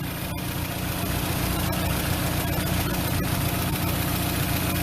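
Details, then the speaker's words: Engine after replacing worn ignition wires with new ones: even, steady idle with a soft regular pulse, no misses or ticks, running quietly; normal idle. "yeah seems like seems like everything's working pretty good as i said it actually sounds like it's actually running pretty quiet all right now"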